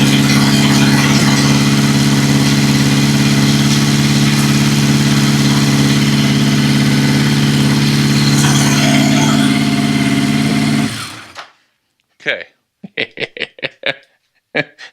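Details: 1982 Yamaha XJ650 Seca four-cylinder, first start in almost 5 years after a new battery, cleaned plugs and carburetor float adjustment: idles steady and even with a smooth hum, no misses or knocks, then shuts off cleanly; healthy idle.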